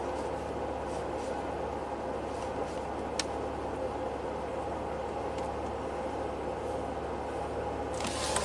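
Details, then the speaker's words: 2003 Pontiac Grand Prix V6, 325k miles, P1635 5V reference and P0107 MAP low codes, IAC nearly fully open: steady raised hum idling at 2400 RPM, in closed loop; high idle. "idling at 2400 RPM it's a little slow here we go"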